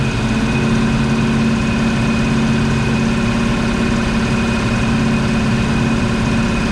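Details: 1970 Ford Mustang Mach 1 V8 after nearly 40 years sitting, running after second start try: even, steady idle with deep regular beat, no misses, knocks or ticks; smoke thought to be Marvel Mystery Oil burning off.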